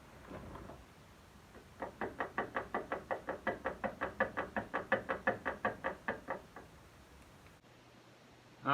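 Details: Rear of a 2004 GMC Yukon XL AWD with a clunking and rattling complaint. About twenty quick, even knocks, roughly four or five a second, as the worn rear shock absorber is worked.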